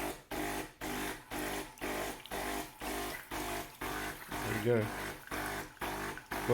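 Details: De'Longhi Caffè Corso ESAM2800 espresso machine after pump replacement: new pump hums in steady pulses, about two a second, drawing and pushing water normally, replacing the earlier loud buzzing with no water flow.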